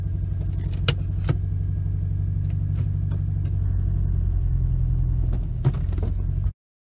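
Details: 2006 Acura TSX, 6-speed manual, 113k miles, with a P0301 cylinder 1 misfire, limp mode and power loss. The lumpy, uneven idle stumbles about four times a second. A new spark plug didn't help; a new ignition coil fixed it.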